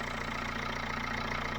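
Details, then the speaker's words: Dacia Logan after head gasket job (new head gasket and bolts, head skimmed, new water pump, cam belt, tensioner, thermostat, fresh coolant), first start: steady, even idle with smooth low pulse, no knocks or misses; healthy. "and she's running and she's running really well running like an absolute sewing machine"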